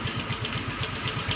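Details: Yamaha Mio Soul GT 125 with the dead electrics fixed by repairing a broken red ignition wire, started on the electric starter: single-cylinder engine catches and settles into a quick, even idle pulse. Normal idle.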